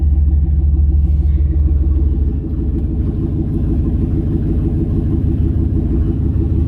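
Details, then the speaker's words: Turbo LS V8 idle-tuned with HP Tuners from the stock file, restarted once the speed-density code was active: deep, even rumble that settles into a steady idle with no stumble, unlike before when it stumbled and wanted to die. "see how it doesn't it doesn't stumble now it just started and idled the first time it was like right right and then it rattled smooth"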